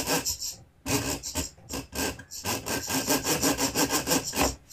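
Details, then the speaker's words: Vevor 5120 plunge router, 3¼ hp, plunge lever released: dry rasping scrape pulsing about three times a second as the plunge moves; owner suspects something rubbing on the screw threads, router otherwise functions okay. "I'm not sure about this noise. Sounds like something's rubbing against the threads on this screw."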